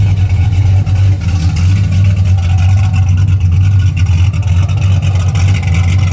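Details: 1981 Camaro, warm, retuned after a roller cam, aluminum heads and intake swap, with 35–40 psi oil pressure: a deep, steady burble at idle with a mild, even lope and a consistent exhaust note. It is healthy and well tuned.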